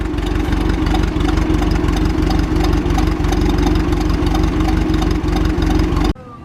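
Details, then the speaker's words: Tractor with Sherman over/under transmission, idling slightly loping; owner plans to check valves and pull valve covers. Low idle thumping about three beats a second with an uneven rhythm: uneven idle lope, cause unconfirmed. "as you can hear it sloping a little bit I gotta check the valves and pull the valve covers and stuff"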